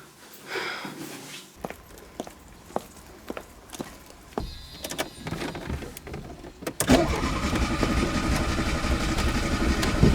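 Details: Old choke-equipped car: starter cranks in slow, regular pulses, about three a second, over and over while the pedal is pumped, and the engine never properly fires; cause not stated; extended cranking, no start.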